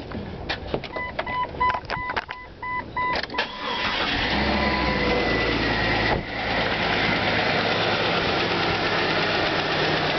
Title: 2,000 Jeep Engine Knock Pretty Boy